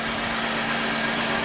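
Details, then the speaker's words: 2011 Dodge Grand Caravan 3.6L Pentastar V6, 146k miles, after a tune-up, warming up at idle; uneven stumbling idle and shaking, slight misfire; low-compression misfire suspected, possibly bank 2, not confirmed. "That screams to me has to do with compression. We'll let it warm up, and if it's a compression misfire, hopefully it's on bank 2."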